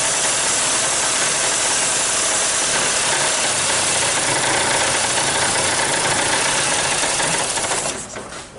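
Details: 2001–2002 Honda CR-V that starts then cuts off, with code P0341 (CMP/CKP incorrect phase): it runs raised and ragged with an uneven beat for about eight seconds, then dies. Rough running then stalling; crank/cam timing suspected.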